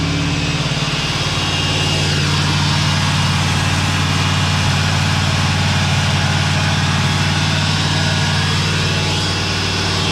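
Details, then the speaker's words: 1986 Oldsmobile Cutlass 442 V8 idling on a newly installed rebuilt eBay Quadrajet carburetor, replacing one that idled rough: steady even low rumble, smooth regular beat, no misses or knocks; engine sounds better and smoother. "The engine sounds better, it's smoother."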